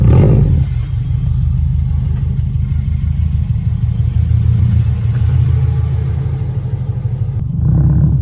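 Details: Subaru STI EJ flat-four idles smoothly with a steady low rumble and no ticks or knocks after the timing belt was checked for bearing noise; oil pressure and boost gauges are not working. Normal idle.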